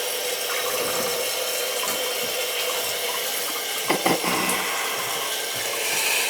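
Strong, steady rush of water refilling the tank with no banging or hammering; the new fill valve sounds fine under high pressure.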